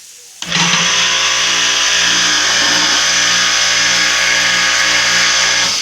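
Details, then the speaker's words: Pressure washer electric motor running after capacitor replacement, spray gun opened first so it doesn't run dry, cooling fan turning: steady even hum with bright fan whoosh, no growl or stalling; normal running. A humming motor that won't start points to the capacitor. "lavadora está funcionando normal então pessoal quando o pessoal Pergunta a respeito do motor roncando esse problema é o capacitor"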